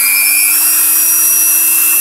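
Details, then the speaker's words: Five-day-old Dremel 3000 rotary tool at high speed: piercing, steady one-pitch whistle over the whir, absent in the first two days after purchase; shaft earlier spun jerkily; cause suspected, not confirmed. "уже был слышен такой пронзительный свист которого изначально не было изначально это в первые два дня после покупки"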